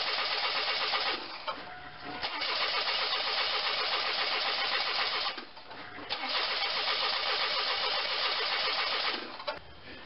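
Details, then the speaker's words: Pontiac Grand Am, GM 2.4L Quad Four: even fast cranking in long bursts with short pauses but it never fires. Plug shows no sign of fuel. Crank-no-start traced to loose crankshaft position sensor wiring. "the problem on this 2.4 liter Pontiac Grand Am is a crank but no start"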